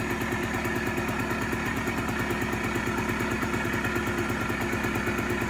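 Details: Polaris Trail Boss 250 4x4 ATV, exhaust still cold, fuel on reserve; uneven lumpy idle with irregular beats and some clatter, not settling; rough cold idle, later sluggish moving, cause not confirmed.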